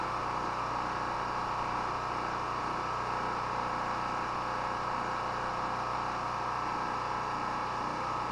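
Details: Chinese Honda-clone portable petrol generator, unused about a month, run about 15 minutes on mostly year-old stabilized fuel: constant, even drone with no surging, knocking or misfire; running steady and healthy.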